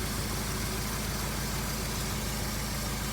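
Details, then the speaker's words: 2003 Honda CR-V after a timing chain repair: even, steady idle with a smooth low pulse and no rattle or slap at startup. Owner hears a possible small rear exhaust leak. No leaks or smoke; normal idle. "does sound like we have a small exhaust leak in the back here maybe we're gonna deal with that later but it does sound really good"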